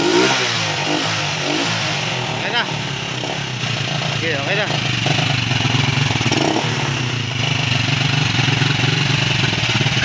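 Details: Euro 150 motorcycle that would not start after cable change, after stator reconnected and starter area covered: engine runs and revs up and down with a steady even beat, no misses or knocks; healthy.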